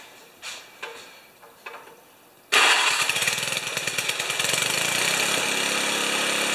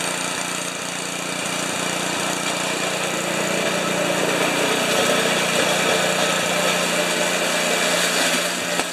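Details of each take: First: 1973 Tecumseh snow blower engine after carburetor refit, full choke, mid throttle: fires after a few weak turns, runs with a raspy hissing suck over an uneven patter; no fuel leakage, source unknown. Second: 1973 Tecumseh single-stage snow blower engine after carburetor reinstall and leak check, augers always turning while running. Steady single-cylinder beat, about 220 firings a minute, even, no misses or knocks; normal running.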